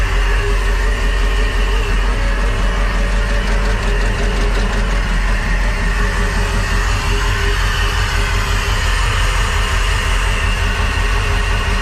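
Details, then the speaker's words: Crusader 8.1 Captain's Choice marine V8 with a new long block, running rough and not making rpm: deep, uneven lopey beat with a steady stumble from one dead cylinder; fuel pressure regulator ruled out, injector issue suspected. "it is like a full-on dead hole here let's take a look i heard that one let's see what did you think it's got a full-on dead hole somewhere so it does sound weird right it it doesn't sound right"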